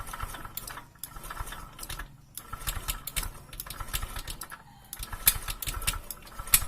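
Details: Honda Vario 125 fuel-injected scooter idling rough, with uneven running and irregular clatter. Piston wear has left it loose in the cylinder block, causing a harsh engine note, weak compression and hard starting.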